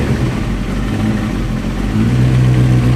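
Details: 1994 Honda CBR 900RR carbureted motorcycle warming at idle: deep, lumpy idle with stumbling beat; misfires at low and mid rpm, not cured by carburetor replacement; one cylinder low on compression, not firing fully.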